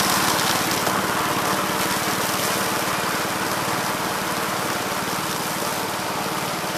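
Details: 1969 Gravely C8 walk-behind tractor after repair of no-high-range fault (drove only in low range, stop-and-go in high); morning start-up, steady single-cylinder putter about 220 beats a minute, even, no misses or knocks; running normally.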